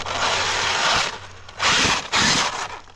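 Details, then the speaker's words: Two-year-old Traxxas Unlimited Desert Racer RC truck on 4S (two 2S LiPos), driven on throttle: loud harsh ratcheting grind in bursts with each throttle input, fading as it coasts; still drives, owner suspects a rock inside. "Okay, it's just louder, but it looks like it still drives."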